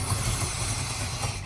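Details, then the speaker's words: 1968 Chrysler Town and Country wagon, 440ci big-block V8, idling lumpy with a miss after fuel system fix; suspected big vacuum leak, timing at 0 degrees. "Does it have a big vacuum leak? Well, yeah, that's a guess, and it's also at 0 timing."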